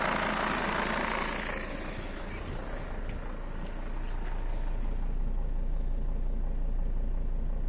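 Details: Mercedes Sprinter diesel van, warmed up, idling with clutch released: deep rumble with a faint loose rustling rattle from a worn dual-mass flywheel; idle speed and injection timing hunt, possibly as flywheel imbalance upsets the crank sensor.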